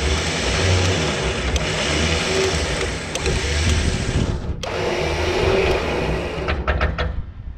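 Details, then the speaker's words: Repaired electric winch on gooseneck trailer pulling tractor under load: even strong motor drone with small dips, no grinding or chatter; normal winch operation under load. "okay There She Goes making some noise let's see if this thing bows out"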